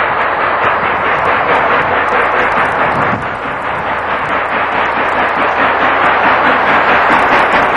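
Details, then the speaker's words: Norfolk and Western No. 611 steam locomotive, 1992, climbing a steep grade with excursion train: loud hard chuffing about two beats a second with heavy roar behind; normal exhaust beat under heavy load. "Again, you can hear that exhaust out of the engine. Tell us how hard she's working."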